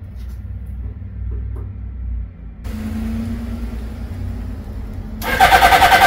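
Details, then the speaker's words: 1983 Suzuki GS650L that sat in a garage for years, rust and yellowed fuel in tank, choke on: starter churns evenly about three beats a second with no firing; cranks but won't start, carburetors need cleaning. "nothing I guess it needs some work before it'll start to get this bike back on the road I've got to take the carburetors off and clean them"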